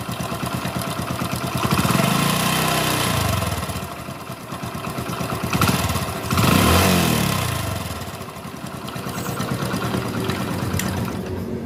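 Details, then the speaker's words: Hero Splendor single after a genuine Hero timing chain kit replacement; some timing chain noise remains, plus a light chik-chik ticking from the head over idle that follows the revs, suspected from a seized bearing. Camshaft bearing tick. "तो यह सुन लिया आपने bike की आवाज और इसके बीच में भी एक आवाज ए रही है चिक चिक इस टाइप से आवाज ए रही है जैसे की कोई भी बाइक के अंदर आप देख लीजिए आपको मालूम है काफी सारे बेरिंग आता है तो जैसे ग रहा है की एक बेरिंग जाम है"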